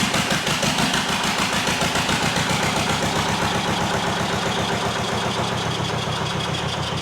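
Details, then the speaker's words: Zetor 25 two-cylinder diesel tractor, first start after full engine rebuild (8 months' work), glow plugs used, run without exhaust manifold: loud, open, even chuffing about four beats a second, both cylinders firing, black smoke shows fuel getting through. "Oops. Oops. It started right up,"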